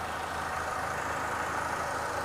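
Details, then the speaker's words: 2005 Honda Stream 2.0 i-VTEC 4-cylinder 150 hp facelift with 4-speed automatic: quiet even idle, no valve, bearing or metal noise, normal idle. "standar normal tidak ada suara dari klep tidak ada suara dari metal tidak ada suara dari bearing"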